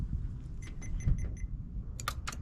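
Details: 1987 Toyota Corolla FX16 GTS with crank-no-start, fuel pump relay being bench-tested: a few faint sharp ticks in a quiet room as the relay clicks in on command, so the relay works fine.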